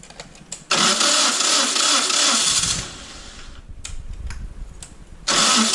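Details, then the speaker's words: Toro 2CV in soggy East Yorkshire: starter churns about two seconds without firing; starter draws enough current to cut the coil so it only fires once key released; owner suspects pilot jet system muck in carburettor. "You crank the engine and it doesn't fire. As soon as you release the key it starts, which means the spark, the starter is drawing enough current to cut the coil, which is not unusual on 2CVs."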